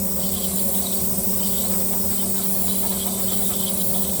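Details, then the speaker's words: 3D printer printing ABS (Sunlu) at 265°C, 0.12mm layers, part-cooling fan at 5%; thin steady whistle over the fan and rushing air as cooling air leaves the duct at too high a velocity, creating small vortices that whistle. "You can hear that little whistle in there. That air coming out of that duct is a little too high velocity. And so it's creating those little tornadoes there."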